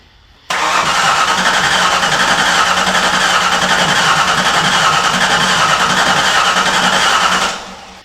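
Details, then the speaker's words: 1995 Ford Mustang SVT Cobra (SN95), bought non-running, after fuel pump install and used fuel rail/regulator: seven seconds of steady cranking that never fires; pump runs but zero fuel pressure, suspected wired backwards and running in reverse. "the damn pump's running, it just has zero pressure. Well, if it's running and it has zero pressure, then there's a good chance that it's running backwards."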